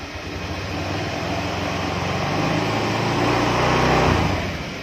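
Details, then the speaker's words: Honda Vario Techno 125 scooter, single-cylinder, just after cold start with radiator coolant at 35°C: slow, lumpy idle that sags then swells; idle RPM set far too low and needs adjusting, checked with ECU diagnostic tool. "Nah, jadi ini RPM-nya terlalu rendah sekali ini. Nah, ini harus disetting ini. Ini kurang pas."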